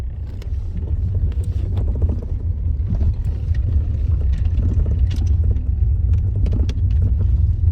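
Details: Lada Granta FL driving: irregular sharp knocks through steady road rumble, about a second apart; suspension knock.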